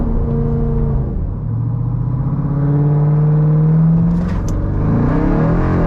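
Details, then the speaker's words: 2018 Jeep Grand Cherokee Trackhawk, water-damaged, with replacement engine after a cracked piston and damaged cylinder wall; smooth steady V8 rumble rising and easing with throttle on the road, no knocks or misses, codes cleared and none returned. "we cleared all the codes and took it out put some miles on it none of the codes came back so that's a really good sign we've got everything hooked up right and the engine's running like we wanted to"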